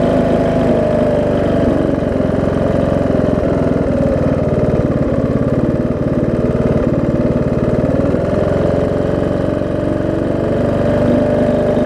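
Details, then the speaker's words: John Deere D110 mower V-twin test-running after a full rebuild with a new head gasket, done after a detached flywheel magnet was found: steady, even putter at fast idle, no knocks or misses. Possible valve-cover oil leak, maybe just burn-off. Normal running. "whoa i said seems to run good"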